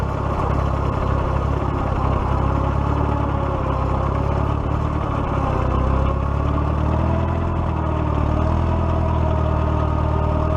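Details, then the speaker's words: 1941 Case SC tractor running after governor repair, with timing set and the magneto left loose. Low, even idle with a steady beat and no knocks or misses, as the governor holds speed smoothly. Works like a champ: normal running. "well it seems to be running pretty good it definitely pulled the her clothes so that's good works like a champ"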